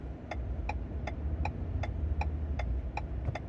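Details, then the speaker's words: 2021 Ford F-150 XLT PowerBoost hybrid V6, about 1500 lb load, flashing check engine light, in neutral with gas engine revved: low uneven rumble with sharp tick about three times a second and heavy shaking; one cylinder misfiring, fine in electric-only mode. "and then now if I rev the engine I don't know if you can hear that it's like shaking like crazy"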